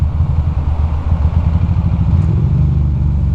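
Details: Ducati Monster ridden in cold, wet weather: low engine beat pulses unevenly, stumbling like a misfire; mechanic suspects electrical cause in coil cables and spark plug wires, plus incorrect spark plugs, unconfirmed.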